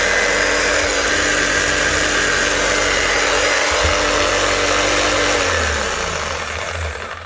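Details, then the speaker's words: Bosch GBH 5-40 DCE, well used, fitted with new brushes and run with the cover off: steady high whir with a rough crackly edge, then wind-down. Heavy sparking and quick heat show a worn, damaged, overworked armature on its way out. "It's running, as you can see, but there's a big heavy spark out of it. So that is just on its way out. Armature's damaged, it's been overworked, and it's sparking heavily."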